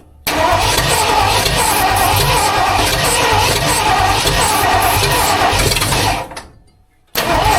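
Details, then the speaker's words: Budget-build 302 engine in a tow truck, first start attempt after installing the clutch, flywheel and distributor: about six seconds of steady cranking without catching. The owner suspects dirty plugs or off timing. "It's super close, but something's off. I don't know if my plugs are just dirty as hell or if I'm off on timing and I just don't realize it or what"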